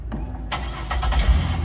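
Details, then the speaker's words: 2000 Buick LeSabre with sequential port injection and a return-type fuel system, started with the fuel tank pressure sensor unplugged. A brief crank, then a steady even idle with no stumble; the fuel pump can be heard running. Normal start and idle. "Starts up and runs, no problem. You can actually hear and feel this pump running."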